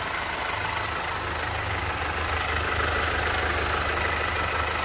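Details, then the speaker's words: 2020 Toyota HiAce after flood water ingestion, water expelled via fuel injectors and codes cleared: smooth, even, quiet idle with low steady hum, no knocking or tapping; engine healthy. "Tahimik naman, sir, wala namang sinyalis na pagkakatok."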